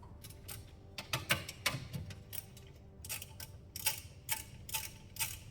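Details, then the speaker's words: Worn wheel bearing/hub assembly from a Toyota Mark X GRX133, removed and spun by hand, giving bursts of gritty rasping ticks. On the road it caused inconsistent metal-on-metal noise above 40 km/h, later a bassy knocking at high speed; replaced with new hubs. "It's not great this wheel bearing. So, like you're sheing a knife. But you can hear it inside like the grit."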